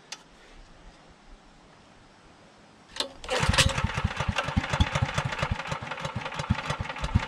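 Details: Generator with aftermarket gas tank, choke at half, load removed: quiet pull, then catches at three seconds and runs ragged, surging and stumbling as if about to die; hard starting, won't keep running, cause unknown.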